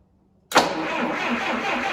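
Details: Series IV D17 tractor just after a head gasket replacement and coolant refill: after a silent gap the starter cranks the engine evenly, but it never fires. Traced to another electrical problem.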